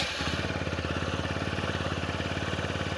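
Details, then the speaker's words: TVS Apache RTR 160 4V, 41,000 km, after a head noise repair, teardown and cleaning, started on the self-starter. Quick, even single-cylinder putter at fast idle, set around 1600–1700 rpm and expected to drop as it warms, with no slap or tapping; normal idle. "देखो original sound आ गया ना? इसका RPM जो है 1600 से 1700 पे set है।"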